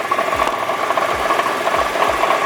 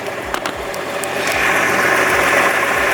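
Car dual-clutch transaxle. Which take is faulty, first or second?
first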